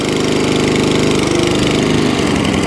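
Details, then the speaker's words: Atco Balmoral 20-inch mower with Tecumseh engine, bought as spares/repair (starts but dies), carburetor cleaned, just started on choke; idle pitch sagging and picking back up, slight hunting, owner suspects a leaner mixture and plans carburetor tuning. "cylinder oh yeah right i have a little tiny bit of hunting there"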